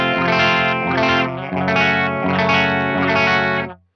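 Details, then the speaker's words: 2006 Laney VH100R clean channel, bridge pickup; chords carry crackly gritty breakup and surrounding noise; fixed later by replacing all clean-channel PCB electrolytic capacitors. "like there's just so much like weird noise surrounding it and i'm just going to disable the cabinet simulation so you can really hear it"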